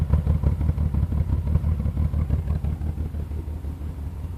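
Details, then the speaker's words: 1986 BMW 528e after weeks of repairs (coolant temp sensor, thermostat, O2 sensor, fuel pressure regulator, cleaned idle air valve), first start: loud, low chuffing exhaust about three pulses a second at idle, black smoke and fuel smell; running rich, cause not found. "just so loud sound smoke is black I can kind of see it I can smell it too"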